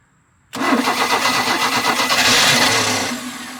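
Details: 1986 Larson V175 Seneca ski boat engine, gas poured into the carburetor: starter cranks with a quick uneven chug, catches weakly a few times but won't run; spark tester shows no spark.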